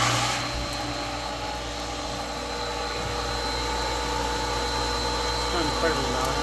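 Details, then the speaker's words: Replacement 1.5 hp Amazon pool pump motor on a Hayward pump, primed with water: smooth, steady, fairly quiet hum with a faint constant whine and no grinding or rattling; running normally with plenty of power. "Sounds pretty good. Fairly quiet. Seems like it's got plenty of power."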